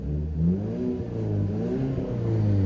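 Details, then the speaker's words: Mazda 3 at 191,000 miles that left its owner stranded twice, idled for about 5 minutes after restarting following the breakdown: low, even hum with a gentle rise and fall, no misses, knocks or stumbles; fired right up and idles smoothly. "Well, it wasn't 20 minutes, it was 5 minutes, but she fired right up after the mishap. And she hasn't skipped a beat."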